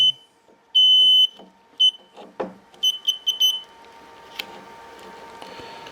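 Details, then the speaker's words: Mobility scooter that won't move though fully charged: a string of short high-pitched controller beeps between handling clicks flashes fault code 7, a slack connection where the plug doesn't seat fully on its pins. "this off it will start to flash for the slack connections so it's a 7 so it's not fitting on just as good is it"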